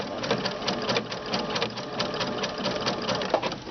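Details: Baby Lock sewing machine with a snap-on fringe looping foot at stitch width seven: a light, even stitching patter at a slow steady pace with no clunks or binding once the foot's bar was bent so the thread pops off; sewing smoothly and healthy.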